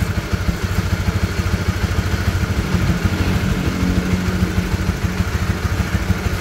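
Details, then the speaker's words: Honda CB150R after the cam chain tensioner (lifter assy tensioner) was reset. An even, steady idle with a clean low beat and no ticking or clatter; the earlier rattling top-end noise is gone. "Oke dia sudah tidak bunyi kalkun lagi ya"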